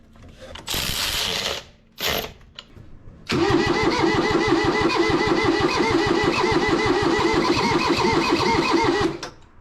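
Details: Kubota diesel tractor saved from the scrapyard, cranked after fitting a new starter signal wire with no safety switches, testing the glow plugs as working and cleaning corroded terminals: slow, steady three-to-four compressions a second, never fires. Cause unconfirmed.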